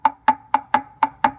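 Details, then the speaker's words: BMW X4 (X3/X4) differential removed, gears rocked by hand: sharp hollow clunks about four a second from worn ring and pinion, backlash over millimetres versus 0.2 mm max; caused clunk between gear shifts while driving. "Essa folga, que já passa de milímetros, deveria ser no máximo de 2 décimos. A gente chama isso de backslash. É a folga entre a coroa e o pinhão que está lá na frente escondidinho."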